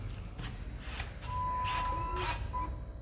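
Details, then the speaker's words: Engine off at key-on on an Ariens Professional 28 snowblower with battery-powered EasyLaunch EFI: soft rising whir of the throttle stepper motor sweeping, then a faint steady fuel pump hum priming; normal EFI key-on priming. "so that's the throttle throttle stepper motor sweeping and the fuel pump fired up"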